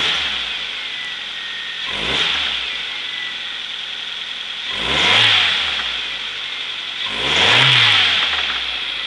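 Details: 1998 Mazda 626 2.0L FS petrol four-cylinder idling and revved four times, with knocking from worn big end bearings; replacing the big end bearings solved it.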